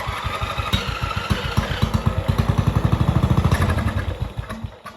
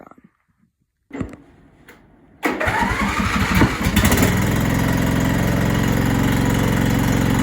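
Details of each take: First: MTD Yard Machines mower with 14.5 Briggs engine, sat over five years: runs only on starting fluid, uneven chugging that stumbles, picks up briefly, then dies as fluid burns off; carburetor fault, bowl found badly fouled. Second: MTD Yard Machines mower with 14.5 Briggs engine, after fitting a new carburetor: a few weak cranking thuds, then catches with a burst and settles into a steady, even run with no misfire; starts and runs normally.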